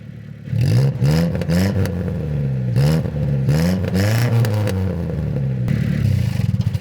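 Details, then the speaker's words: Car exhaust with a large corrosion hole in or before the muffler: very loud, sharp, raspy barks on each throttle blip. "Si esto pasa en el silenciador o antes del silenciador, el ruido será muy fuerte y muy agudo. Se podría escuchar algo así."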